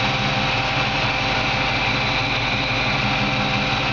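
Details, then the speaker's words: 1954 Chevy 3100 pickup (1954 body on a 1970s Nova chassis) with a recently rebuilt engine, serpentine belt system and exhaust system, heard cruising with windows down: steady, smooth, even rumble with no knocks, ticks or misses; normal healthy running. "can hear the engine just run perfect I mean fantastic"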